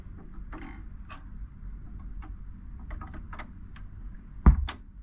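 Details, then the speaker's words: Marantz 6100 turntable: soft clicks as the tonearm returns to its cradle, then a pop/thump through the speaker as the motor shuts off; suspected culprit is the 0.047 µF 125 VAC capacitor on the motor; there is no muting circuit. "It's when that motor engages and then when it disengages."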